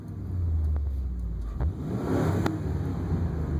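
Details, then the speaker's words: 2002 Ford Super Duty 5.4L with intermittent fuel pressure loss causing power loss and stalling, after adding 5 gallons of fuel: deep even rumble climbing smoothly under throttle, no stumble; fuel pressure holding 30 psi, normal acceleration. "No problems. No issues, just like normal. Holding 30 psi."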